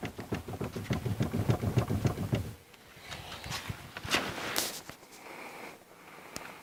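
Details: Renault Megane 2 steering rack: a quick run of dull, regular knocks, about three or four a second, then quiet; worn steering rack knocking.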